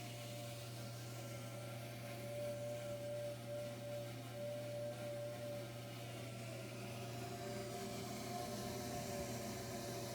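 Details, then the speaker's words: Furnace inducer fan struggling: steady low motor hum with a wavering, labored, uneven tone like a slow train, furnace not kicking on with three red blinking lights. "It kind of sounds like it's struggling. Almost sounds like a train."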